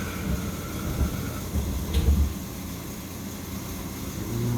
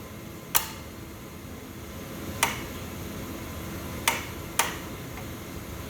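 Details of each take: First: Boiler with intermittent no-heat fault (control board cycling on and off) after manual water reset: deep, even rumble builds as burner lights and stays steady with no chatter; burner firing normally, high limit around 160-165°. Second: Boiler with intermittent on/off fault: mechanical temperature switches tapped give sharp, irregular clicks a second or two apart, contacts opening for a split second; technician doubts this is the cause since nothing vibrates them.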